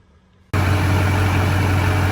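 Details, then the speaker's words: 2001 Chevy Silverado 2500HD 6.6L Duramax LB7 diesel, after replacing crankshaft and camshaft sensors and clearing codes: fires instantly into a steady, smooth low diesel idle; normal start and idle. "Alrighty, we started up. Just purring like a kitten. Fired right up, guys."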